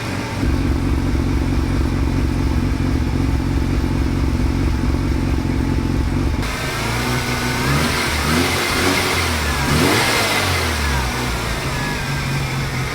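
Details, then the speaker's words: Mazda RX7 rotary engine, barn find, first start after rebuild: smooth buzzing idle, then a clean rev that rises and drops straight back to a steady idle; healthy running. "Oh, I love that. How it comes back down to idle. That sounds so good, dude."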